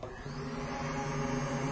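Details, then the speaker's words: Secondary air injection (AIR) pump motor bench-tested with 12 volts fed directly from the battery: steady motor whine with an even low hum, no grinding or wobble; the pump motor runs normally, ruling it out as the fault. "And you can certainly hear that. So putting 12 volts to the motor does operate it."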